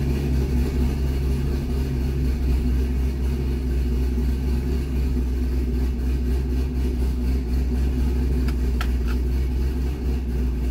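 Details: C6 Corvette V8 after an aggressive cam and long-tube header swap, retuned with HP Tuners for an 825 rpm idle target (about 80% done): even, deep burble holding steady under light load, no hunting or stumble. Normal idle.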